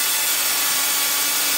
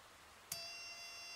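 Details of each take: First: 555-timer ignition coil driver/tester on a 7 Ah sealed lead-acid battery with a 333 (0.033 µF) capacitor: a continuous high hissing spark buzz at about 1.3–1.4 kHz, with the gap initially too far apart; normal coil spark. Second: 555-based ignition coil driver running a 103 capacitor at about 3.1–3.2 kHz: a faint click, then a thin, steady, high-pitched whine with no sparking crackle. The spark gap is too wide to arc.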